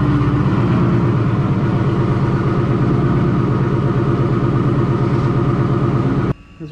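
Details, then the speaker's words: Ford Mustang GT V8 at idle before the Ford Racing cam, intake and throttle body install, with a cold air intake, Kooks long-tube headers, high-flow cats and Roush muffler deletes; steady, deep, even burble, no misses. "i'm gonna start it up and pull her out here in the center of the garage so you can see what it sounds like right now with the parts that are on it right now which is what cold air intake i have uh the kooks long tube headers high flow cats and roush muffler deletes"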